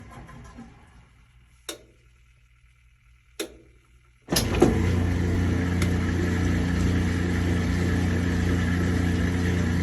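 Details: Kenmore 80 Series direct-drive washer on a proper neutral drain: a couple of clicks, then the motor kicks on into a steady, even hum with a smooth pump whir. Normal drain; this machine later had its transmission replaced.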